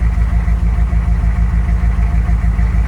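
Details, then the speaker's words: 1995 GMC 3500 HD 6.5L turbo diesel after injection pump replacement, once the air is purged from the fuel system: steady low clatter with an even beat, smoothed into a normal idle with a couple of small hiccups. "right there it's pretty well smoothed out into a normal idle here a couple little hiccups in it"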